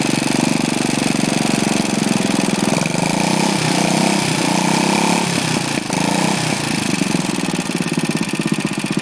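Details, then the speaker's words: Lifan single-cylinder engine after seized conrod big end from low oil, repaired only by polishing crank journal and cap with oily emery cloth: steady even chug with slight rev change, no knock or bang; bottom end healthy. "so they've heard is there she hasn't suffered any major effects there is just small problems they were tuning and stuff like that but no knocking you're banging your noises out of her"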